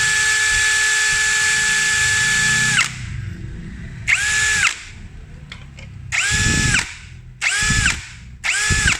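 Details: Yasuka YID-318CB cordless impact driver (Power Action BID20B lookalike, 20 V LXT-type battery, measured up to 2000 RPM): high whining bursts on speed 2 that stop dead with a loud jolt; the electric brake stops the motor too abruptly.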